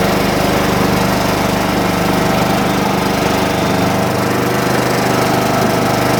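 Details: John Deere mower, cold start on a 47° morning after sitting with a weakening battery: small single-cylinder holds a steady, even buzz at constant speed with no misses or cutting out; running normally while warming up.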